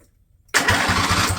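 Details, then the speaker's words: Husqvarna lawn tractor with Briggs & Stratton Intek engine, over 900 hours, fuel line disconnected, cranked briefly before first start: steady even compression pulses, several a second; starter working fine. "just noise working so that's good okay this should still work fine"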